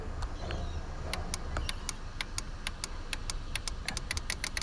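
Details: Holden VE Commodore purge solenoid, test powered directly with jumper wire: crisp sharp ticks repeating several times a second; solenoid switching and working properly.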